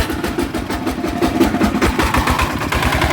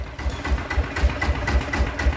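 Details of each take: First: Blue Bird small petrol engine starts and settles into a harsh, rattly run with a rough shaking undertone; suspected worn or failing crankshaft bearing, engine runs but is noisy. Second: Blue Bird small petrol engine idling evenly with steady low thumps about four a second and no rattle or grind, after repair of a shudder resembling a failed bearing, with weight plate added.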